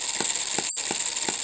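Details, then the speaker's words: Homemade miniature 4-stroke hit-and-miss engine running on Coleman lantern fuel: sharp pops about three a second over a steady hiss, coasting between them as the governor locks out the exhaust valve; it fires more often under load. Running properly. "so you can hear it fire and then coast and uh looking right through here you can see that little governor expanding and that's when it it locks out the exhaust"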